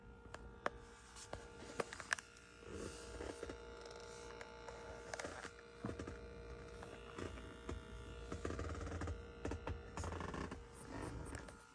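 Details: A Tesla Model 3, parked with a quiet cabin, gives a faint, steady high electrical buzz or ground hum from the dashboard/center console area after the 2022.36.6 (v11.0) software update, with occasional handling clicks. Cause unknown.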